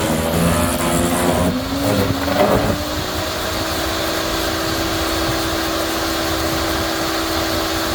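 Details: Yardworks electric garden shredder: rough chopping of a hard branch, then a steady hum climbing and holding at full motor speed; normal operation.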